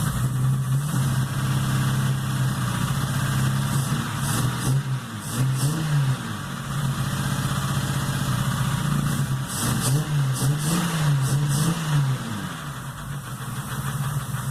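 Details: Chevrolet Opala that began knocking after a major overheat: rough idle with throttle blips and deep, uneven knocking following revs; owner suspects piston damage, engine to be opened, unconfirmed.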